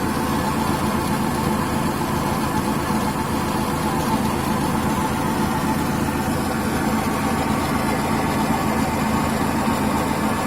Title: Гудит ступичный подшипник